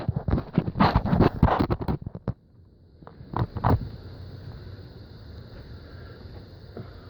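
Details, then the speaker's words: Volvo Penta 5.7 L boat engine cranks raggedly, then catches and settles into a steady rumble. The no-crank was fixed by cleaning the starter-to-battery connections, with the neutral wires jumped. "we got the engine going super exciting"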